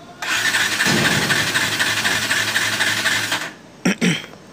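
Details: R180 motorcycle with hard starting: the engine catches and runs roughly for about three seconds with an uneven beat, then dies and only sputters briefly; cause suspected, not confirmed.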